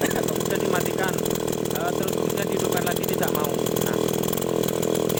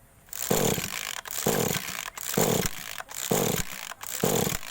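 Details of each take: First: Small two-stroke agricultural sprayer engine, restarted: holds a steady, crisp buzzing run for several seconds before shutting off; starts and runs normally. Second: Small two-stroke agricultural sprayer engine (hard starting when cold), ignition coil recently replaced, at idle: surges and sags about once a second, cannot hold revs.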